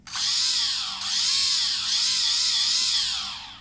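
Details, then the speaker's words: CX-20 quadcopter after conversion to an APM 2.6/2.8 flight controller, with ESCs calibrated: all four brushless motors whine smoothly and in step, rising and falling together with throttle; normal motor operation. "after you hear that musical tone there and if it's all quiet you can move your throttle up and all the four morar should turn at the same"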